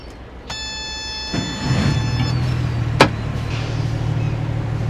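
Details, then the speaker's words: Boat diesel put in gear after two rounds of ATF transmission fluid change, previously grinding; light clunk then smooth even low drone with no grinding, the transmission now sounds healthy. "Okay, I don't hear anything weird so far. Nothing obvious so far. Sounds okay. Alright, so that sounds good."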